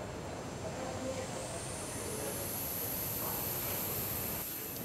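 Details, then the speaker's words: Dyson bladeless fan motor bucket: the brushless motor spins the nine-vane impeller, and a thin, very high whistle climbs as it spins up, then holds steady. Impeller blade-pass whistle. "however when it when it does so when it's pins uh its nine veins generate a very particular high pitch whistle so if we turn it on we'll hear it"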